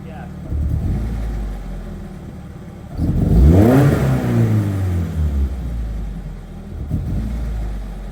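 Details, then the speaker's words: Nissan 240SX just bought after a long road trip, not wanting to stay running: rough idle, then a throttle blip rises and falls away unevenly without holding revs, sputtering as soon as throttle is applied. "Is that the car that's not wanting to stay running? She's sputtering as soon as I hit As soon as I hit"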